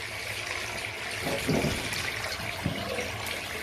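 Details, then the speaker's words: Hot water system after replacing the water heater's dirty flow pipe, shower hose on the isolation valve, water turned on: rushing with irregular gurgles and spurts as trapped air and scale are purged from the blocked hot line; filter was full of debris. "So I'm going to turn the water on to remove the air from the system. So I'm going to turn it on. So this thing will remove all the dot."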